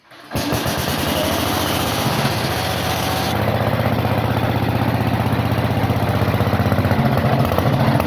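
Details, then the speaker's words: Old Onan generator last run around 1983–84, revived: catches quickly and settles into a steady, even beat with no knocks or misses. Running normally. "but that's all for the future as for right now I'm happy to have a good running unit"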